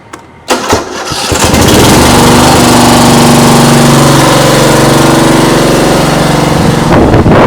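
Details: Old Dixon zero-turn mower with chain/cone drive (no hydros), after new chains were fitted and the battery recharged: it cranks, catches within a second and settles into an even single-cylinder drone with no misses or knocks, then shuts off cleanly.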